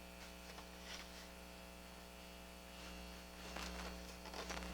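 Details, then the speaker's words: Sony TA-313 integrated amplifier under repair: the shielded, encapsulated power transformer gives a constant low buzzy hum. It is quiet at switch-on but grows quite loud after sitting a while, and pressing on it makes more noise; the core hums mechanically. "It's the power transformer. Now I don't know what they're doing here with this funky power transformer. You can see it's all shielded and encapsulated. It makes a hell of a noise."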